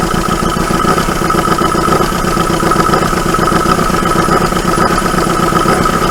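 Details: 1980 Dodge Colt Challenger (Mitsubishi Galant Lambda) four-cylinder after long sitting, float bowl filled by pouring fuel in carb: catches and runs with fast even beat; oil pressure gauge shows none, gauge possibly faulty. Runs only on primed fuel.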